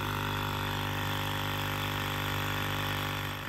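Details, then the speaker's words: 1999–2007 Ford Super Duty F-250 to F-550 (7.3 or 6.0 Power Stroke) electric vacuum pump, tested alone reaching 15 pounds of vacuum, now connected to the system drones steadily and never cuts off; vacuum leak, possibly in HVAC, canister or 4WD hub lines. "all right so the pump is trying to achieve vacuum so now we're gonna see if we have a line leaking"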